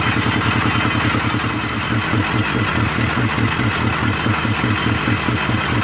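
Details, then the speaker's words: Old 24 HP single-cylinder diesel after seizure repair and head gasket change; liner found damaged, smoke from breather vent persists. Steady thump about two beats a second with heavy clatter; blow-by from scored cylinder liner. "Dan ini sudah mulai keluar juga nih asap dari ventilatornya jadi waktu itu saat kita buka dexelnya waktu kita ganti pking dexelnya itu linernya nya sudah kena juga ya"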